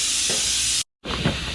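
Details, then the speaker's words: Car tire punctured near the sidewall, during a DIY plug repair with the nail removed: a steady sharp hiss of air escaping, with light scraping from cleaning out the hole before plugging. "Now the air is leaking out, I'm just using this"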